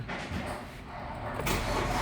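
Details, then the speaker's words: Hyundai Accent CRDi diesel that had no click, no crank, no start, after replacing a faulty socket/connector: catches on one click and settles into a steady, even run with no stumbling; fixed, clean healthy start. "Boom! One click. Okay, tapos na. Ayos na siya mga sir."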